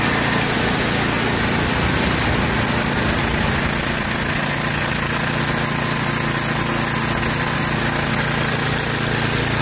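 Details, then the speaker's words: Tecumseh 8 hp engine on a Yard Machines by MTD 26-inch snowblower that surged at idle, after the carburetor jet screw was soaked in carb cleaner and wire-brushed: a small petrol engine now idles smoothly and evenly, no surging. "there you have it she uh that's a huge difference uh in how it was running before"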